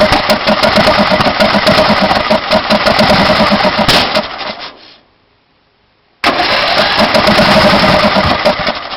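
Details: Briggs & Stratton Intek 18.5HP engine on a DYT4000 riding mower that won't start: runs about one minute in the morning on starting fluid, then only backfires through the carb; fast choppy cranking, pause, cranking again without catching cleanly; cause unconfirmed.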